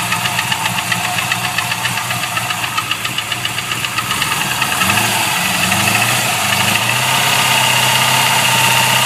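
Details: LS1 V8 at idle with a sharp, regular light knock about four per second, steady with engine speed; owner suspects gudgeon pin failure, unconfirmed.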